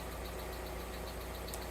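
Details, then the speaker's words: Alfa Romeo GTV after cam belt, service and variator work, idling about 5 minutes after start: smooth, fairly quiet with a faint light tick from hydraulic lifters dry after long disuse, expected to quieten once fully warm. "still a little bit of a tick coming from it but give it 20 minutes to fully warm up drive it get it moted and it should be lovely and quiet by"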